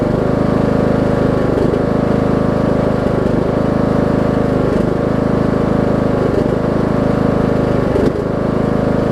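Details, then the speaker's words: Briggs & Stratton 18hp Intek single cylinder on Troy Bilt Bronco with Chinese Nikki-copy carb, low-side jet drilled out, low fuel in tank: loud steady drone dipping about every 1.5 s; mild surging, owner suspects low fuel level. "I think once somebody puts a full tank of gas in it because I don't really have a ton of gas in it right now I probably fill it up though about right there I think some of that surgeon will go away"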